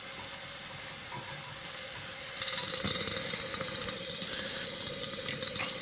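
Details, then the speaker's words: Coleman Handy Gas Plant fitted with a 413 stove tank and generator, about 35,000 BTU, on the bench: lever up, getting air and fuel, a hissing roar with an uneven rapid sputter while the generator is cold, slowing once it heats. "so this is with the lever in the up position so it's getting air and fueled at the moment you can hear it kind of sputtering initially and that sputtering slows down pretty quickly"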